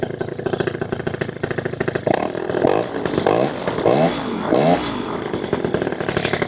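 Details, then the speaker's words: Minari 200cc paramotor (PPG) with a Walbro 37 carburetor, after carb adjustment: a two-stroke crackling idle that picks up cleanly on each gentle throttle blip and drops back smoothly. Normal throttle response, good power and acceleration. "widzicie, ma bardzo ładną moc, przyspieszenie."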